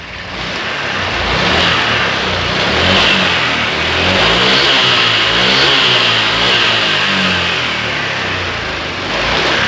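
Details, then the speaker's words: Honda Click 125i scooter, previously hard-starting and bogging on throttle, after cleaning and reset: engine picks up cleanly and drops back evenly through several blips with no stumble; normal revving. "เครื่องเดินเรียบร้อยนะครับเร่งตอนนี้เล่นได้ปกติแล้วนะครับ"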